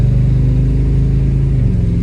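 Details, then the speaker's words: Dually pace truck with TBI V8 on first drive after a new fuel pump: deep, smooth drone holding steady under light load with no stumble or surging; truck runs and pulls well. "All right, we got first drive with Wyatt after the new fuel pump. Truck's running real good now."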